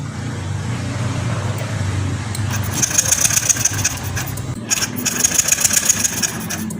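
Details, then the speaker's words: Yamaha Lexi fuel-injected scooter, dead with ignition lost: starter whirs in uneven bursts, engine turns over but never fires, no spark at plug lead, after finding broken orange coil wire from ECU. "Oke teman-teman, di sini di kabel busi Pak, pengapian masih tidak ada Pak ya."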